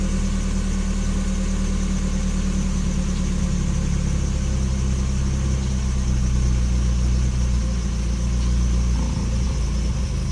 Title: 1996 nissan pickup rough idle